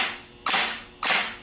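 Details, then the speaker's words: Rebuilt Nippon Denso gear-reduction starter on bench, short burst test: two crisp snaps half a second apart, Bendix throwing in and out cleanly with no grinding; normal starter engagement. "what we're going to be testing for is we want to see that the Bendix snaps in and out very very quickly you want to see it snap out and snap back in"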